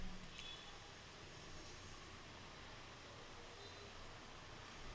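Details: Desktop PC that would not power on or show display, now running after cleaning the dusty processor, applying new thermal paste and refitting: only a soft, even fan hiss with no clicks, scraping or beeps; it boots with display.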